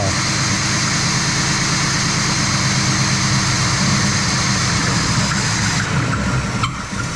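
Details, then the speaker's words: Old Oldsmobile V8 just restarted on its own fuel tank with the fuel pump and old gas, choke left closed: uneven loping idle with a loose, irregular beat about three a second; running rich, later found to be choking itself out. "Oh, it looks like it. All right. I don't know why it's so lopey, but they have a"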